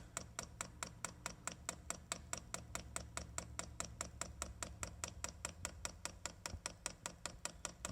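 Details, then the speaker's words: Chinese diesel heater on a bench test, first fire-up, fuel pump priming with fuel drawn up to the filter but the pump still running dry. Sharp, even ticking about four to five per second over a faint hum; should quieten once fuel lubricates it. "that fuel gets in that fuel pump and search lubricating it it should quieten down quite a bit to a little quieter"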